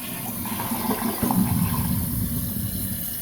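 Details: Toilet after replacing fill valve (old one had low flow and a slight hiss from debris): steady full-flow rush as it flushes and refills, no hiss, slight water hammer remains.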